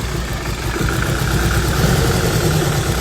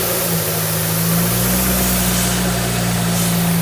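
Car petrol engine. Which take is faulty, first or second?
first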